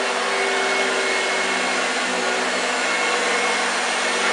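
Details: 1965 Hoover Junior 1334A upright vacuum on a full flat demo: smooth, steady motor roar with a constant whine and no surging or rattles; running healthy.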